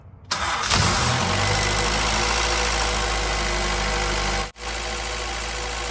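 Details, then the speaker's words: 2000 Acura Integra GSR B18C1 after a no-spark fault was fixed in the distributor (coil/rotor refitted, parts sanded): short crank, catches at once, settles into a smooth steady idle with one brief dip; healthy. "All right. It's running good. Start it up. Yeah, buddy. The Integra's running."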